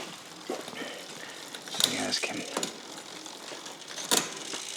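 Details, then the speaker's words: Bicycle with newly installed SRAM XO Transmission wireless drivetrain during adjustment: irregular light ticking and scraping from chain and gears; a rub with skipping, source unknown; later it went quiet in the same gear without a clear fix. "no there's something goofy going on because I got some kind of skiing going on"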